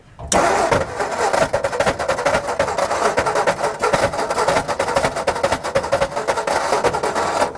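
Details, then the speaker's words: 1960 Ford F-350 that sat 34 years, revival attempt: ragged uneven starter clatter over several seconds of cranking, no catch, engine not spinning cleanly; starter not making a good noise, owner also suspects big vacuum leak. "Uh, something's wrong with that starter. Something's wrong with that starter. It is not making a good noise."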